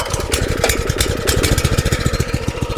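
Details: Compactor plate engine after replacing failed exciter bearings (caused by lack of oil), idling on choke with exciter not spinning via centrifugal clutch: even quick pulses around twelve a second, steady low thump, no squeal; normal idle.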